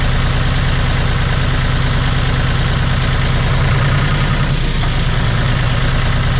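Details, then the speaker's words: John Deere 5205 tractor diesel after a Stanadyne DB4327-5913 injection pump replacement: a steady, low rumble with even clatter and no misses or hunting. No leaks are seen, and it is idling normally. "She sounds really good. Doesn't look like I have any issues here, leaks or any of that."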